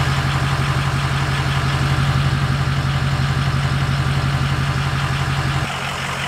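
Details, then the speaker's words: 2005 Ford F-250 6.0 Powerstroke diesel started after installing an AFE Momentum dry-filter cold air intake: steady, even idle clatter with a regular low pulse and no knocks or misses; sounds no different than before, running healthy. "So let's fire it up. Let's see what we got. Don't really sound any different here."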